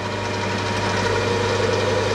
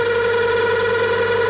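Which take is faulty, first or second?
second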